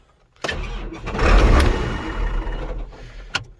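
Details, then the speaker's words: 1998 Case IH 8930 Magnum tractor after a water pump replacement and coolant refill, start attempt; a short crank catches, briefly revs, then sags and cuts out; owner blames a loose accessory or starter solenoid behind a cover that fails every few years. "This tractor, it's got a solenoid back behind that cover that's loose."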